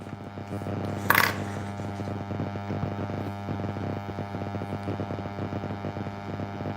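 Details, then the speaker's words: Constant low electrical buzz under quiet room noise during embroidery work, with one clatter early on; steady mains hum in the audio feed, possibly from being close to the receiver. Cause unconfirmed. "there's a buzzing now does anyone else hear it buzzing it's weird I don't hear any buzzing"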